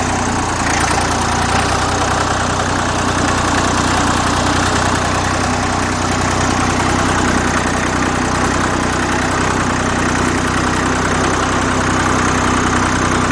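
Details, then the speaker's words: Old Dexta three-cylinder diesel tractor, about 1950–51 by owner's guess, just cold-started: slow even clatter at a very low idle, owner estimates about 400 RPM, steady with no misses or knocks; normal idle. "I don't know. This thing runs at probably about 400 RPMs."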